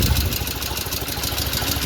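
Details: Restored 1975 Norton Commando Mk3 twin, Tri-spark ignition being timing-checked: settles into a steady, loping idle with an even beat and no knocks or rattles; runs clean and healthy.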